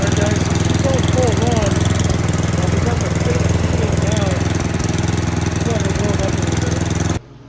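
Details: Snowblower small single-cylinder engine: runs strong and even with a steady rapid beat, then shuts off cleanly; normal running.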